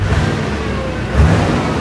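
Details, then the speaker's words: Duramax diesel swapped into a Patrol, first start after new injectors fitted; catches and revs up cleanly, firing evenly with no knocking or misfire; sounds healthy, normal running. "no catastrophic failures it's running oh like listen to this thing it sounds amazing"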